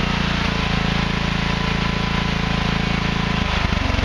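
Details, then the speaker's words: Craftsman Hydromatic with a 15.5 hp Briggs & Stratton OHV engine, after the excess oil was drained to the correct level and the exhaust valve clearance adjusted: a loud, even single-cylinder chug at steady speed with no knocks or misses. It runs normally. "As you can see, obviously it runs now that it's got the correct oil in it and stuff."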